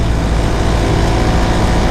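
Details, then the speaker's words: Honda EG Civic at idle just after fitting Hasport engine mounts with very hard red urethane bushings: loud, coarse idle with heavy low drone and constant buzzing shake transmitted into the body; every engine vibration comes through, so mounts will be swapped for factory bushings. "yeah everything is shaking here this car is going to rattle itself two bits if i leave these in here as they are this is ridiculous"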